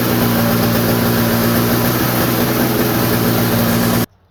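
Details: Toro snowblower sitting about a year, started: small two-stroke spins up smooth and even for about four seconds with a steady buzzy note, then shuts off cleanly; normal running.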